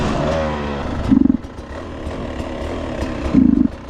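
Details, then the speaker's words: Beta 300 two-stroke with SC2 Smart Carb, cold day, near running temperature: putts at low revs, flat stumbling when opened off the bottom; lean low-end bog hurting control. "that's such a bog on it man it just really damages my ability to control the bike like that should be popped up"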